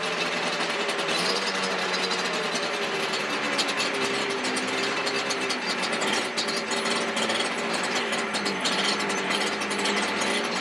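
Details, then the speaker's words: Yamaha Banshee 350cc two-stroke twin, rebuild project, first proper startup without choke: crackling uneven buzz with ragged exhaust popping, running rough. Smoking from the front; owner suspects an exhaust leak, pipes not seated right. "something's a little off you guys I did see it was smoking from the front too so I know the height needs to set in a little bit they're not they're not where they're supposed to be at which might be um because it like technically has an exhaust leak so that might be why it's running a little weird too"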